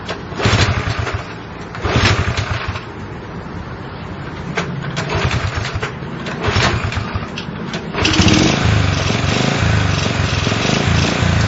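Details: Honda CL70 small single surges and sags unevenly, nearly dying between throttle blips, then runs faster; won't hold a steady idle. Jets tried 73 to 75 and 38 to 40, cause unclear.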